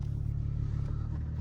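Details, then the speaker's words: Car with 149,000 on the dash and Skunk2 Mega Power exhaust, first test drive: deep even engine drone with fast steady pulse, no knocks or misses; runs super smooth, though starter solenoid suspected faulty and timing chain stretch a known concern. "Sounds super smooth."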